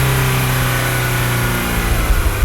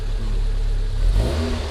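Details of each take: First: MG TF 160 VVC, rebuilt Rover K-series engine, warm after heat cycling: climbs cleanly from idle to higher rpm with an even deep drone, no rattle or hesitation; VVC mechanism checked on PSCAN and working as expected. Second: MG TF 160 VVC, Rover K-series engine just rebuilt: engine blips up then sags slowly instead of dropping to idle, hanging around 1500–2000 rpm because the cable-operated accelerator is sticky and doesn't fully return.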